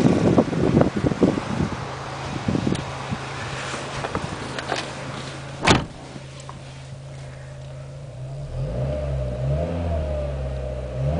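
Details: 2000 Renault Scenic 16-valve, about 85,000 miles, after four new coil packs replaced a three-cylinder misfire: after nearby clatter it starts and revs cleanly with no stumble or miss, running smoothly on all cylinders.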